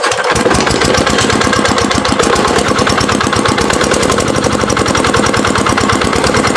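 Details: Dongfeng R175/180 single-cylinder diesel, rebuilt after lost compression with new crankshaft bearings, piston liner and more, decompressor welded, fuelled with diesel; catches quickly and settles into a fast, even thumping beat at steady loudness; runs healthy and smooth.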